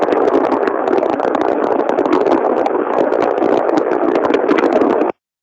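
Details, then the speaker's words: Ultrasound probe recording of a rolling bearing 8 dB above its 18.3 dB baseline, about 26–27 dB: harsh continuous crackling hiss, rougher than a healthy bearing; start of bearing failure per ISO. "esse daí ó 18 com oito eu já vou estar aí falando em alguma coisa de 26 27 decibéis né conforme a norma ISO eu já tenho início de falha"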